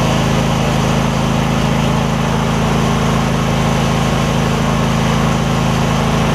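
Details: Husqvarna rider, 24hp Briggs V-twin, about 190 hours, just after refitting fallen-off right-cylinder exhaust pushrod: started within half a revolution, runs smooth with firm regular exhaust beat, no misses or knocks; fixed.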